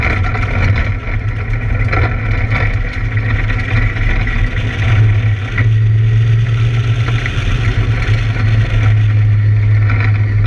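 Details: Camaro V8 at speed on laps: deep, steady drone with uneven stumbles and dips in the beat. Engine misfire under load.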